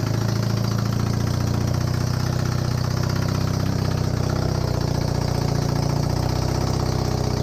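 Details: Honda CB250N Superdream twin project bike, first start, with new spark plugs, on half choke, powered from another bike's battery. A deep, steady, slightly lumpy idle of about two beats per second. First-start idle; large front oil leak.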